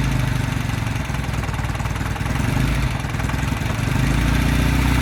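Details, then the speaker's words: 1969 Norton Commando Fastback twin, first start after winter lay-up, wet sump drained and refilled with 20-50 oil, fresh battery, 17° day; even loping idle, steady low thump, no knocks, healthy oil return; normal idle. "Ooh, she fired. Or barked. Just going to give her another tickle. She's definitely barking."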